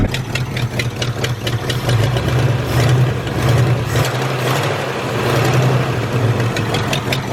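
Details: Ford F100 V8 that sat 30 years in a field, first run after replacing rotten rubber fuel line; steady, even idle with low rumble and light valvetrain ticking, no misses; charging confirmed.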